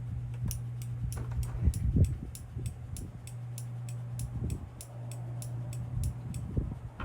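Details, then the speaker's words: Holley Terminator X output test, injector 5 pulsed 10 times at 307 pulse-on time with fuel pump on: quiet, crisp even ticks over a low hum; injector firing normally. "I'll turn this on pulse on time 307 on, something like that. For yeah, oh look, I got 307, and I'll give 10 pulses."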